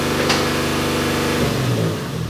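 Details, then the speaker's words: 2JZ-swapped Toyota van running after jump start, gas pedal not working: engine runs fast and steady without dropping to idle, then sags and roughens; throttle suspected stuck open, possibly a stuck cable or throttle body. "It sounds like the throttle, however it is, however it's set up, is on, like it's not idling, it's revving high."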